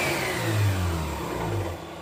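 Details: 2005 Mazda RX-8, engine and lower intake manifold rebuilt under 5000 km ago: a coarse grinding rattle from about 2500 to 5000 rpm, in any gear or neutral, clutch pressed or released. Compression, ignition and exhaust check out; one trailing plug was wet.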